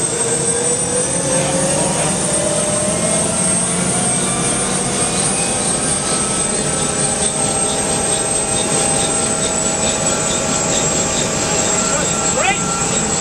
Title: UH1 Huey Start After Rebuild